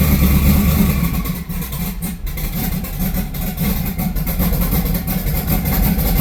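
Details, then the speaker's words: Austin's car being tuned, wideband off, low ignition timing yet earlier spark knock: uneven stumbling idle with lumpy pulses and dips, a cylinder dropping out; misfire, it won't even idle. "I don't have the wide band turned on, but yeah, it's got a miss somewhere. It won't even idle now."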